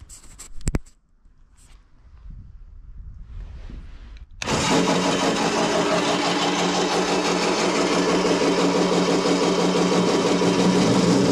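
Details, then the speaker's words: SIPMA roller grain crusher after a DIY repair welding short bead pieces onto a worn roller: it starts with a sudden rumble settling into an even grinding crunch. Before the repair it would not draw in corn; now the tightened rollers pull and crush corn normally. "Musicie mi wierzyć na słowo ale on w ogóle kukurydzy nie ciągnął w ogóle a teraz ma walce dociągnięcie jak Huczy żrą o siebie i patrzcie jak mieli jak gniecie"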